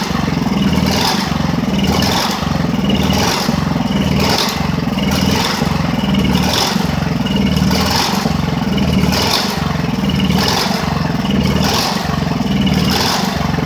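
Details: Ridgid generator with Honda GX390 engine, after repairs: note surges and sags about once a second, never settling at governed speed. Owner suspects a part came unscrewed. Engine hunting, cause unconfirmed.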